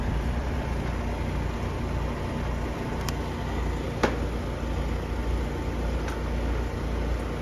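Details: Outdoor AC condenser with bad run capacitor found on a no-cooling call; steady low compressor hum (about 9.2 A) with an even fan whoosh and no knocks or rattles, suction line not very cold; condenser running normally.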